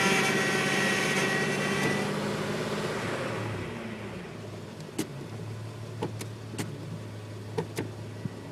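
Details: Chevy Astro with hydroboost, power steering reservoir topped off after running nearly dry, leak not found: loud whining groan over the idle fading after a few seconds, then a low steady hum with sharp clicks; cause suspected.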